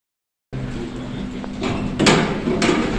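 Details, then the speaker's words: Riding one of four remaining main lifts in a stripped building under refurbishment, lifts in very bad condition, 3.5 m/s: irregular loud bangs and clatters about every half second over the car's running rumble; the door rollers keep banging. "these lifts are in very bad condition and it keeps banging the door rollers"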